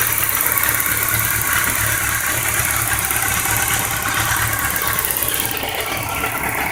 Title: Bmw k 1200 rs, 1999. Knock and ticking noise